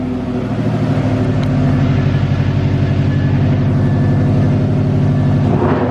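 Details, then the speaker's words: Subaru WRX with its rear silencer (back box) removed, revved during brake upgrade work: deep booming rumble swelling with each rev and falling away, far too loud; loud exhaust. "Do it again. Who needs back boxes these days? What's a back box?"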